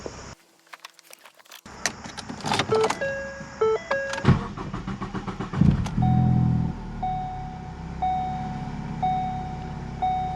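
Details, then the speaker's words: 2014 Ford Focus, 141,000 miles, after replacing fuel pump (P0087): long stuttering crank then settled idle with no flare past 2,000 rpm as before, door chime ticking; rail pressure now about 330 matching desired. "It was a long crank, but as you can see, when the vehicle started, it didn't rev up past 2,000 RPMs like it did before with the old pump."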